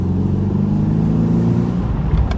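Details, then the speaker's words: Engine-swapped BMW Z4 with turbo N20 engine on a drive at about 4,000 rpm, after a $2 clamp fixed a boost leak between intake and turbo: strong, even drone climbing smoothly under load, no stumble or hiss; boost builds normally. "It was a very easy, a $2 clamp fixed my issue. Now I can build up boost, no problem at all."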